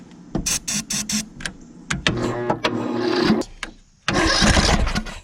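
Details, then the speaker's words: Craftsman LT1000 riding mower after an engine swap, started on battery boost with fluid sprayed in the carb and a quarter of oil: it cranks in short bursts, catches and runs evenly with no rod knock, and sounds good. "tell you what she sounds good so uh i always do that as a test so i put a quarter oil in it"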